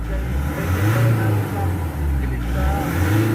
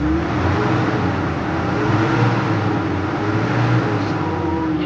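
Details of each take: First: Nissan NV350 diesel a few minutes after the engine treatment, idle recovered to about 1,200. Revs climb and fall smoothly with each throttle blip and no knock is heard; the engine responds cleanly and sounds healthy. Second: Nissan NV350 diesel before engine treatment, with low power and a hot engine. Revs climb lazily and hang before easing back, showing sluggish throttle delay. Cause unclear.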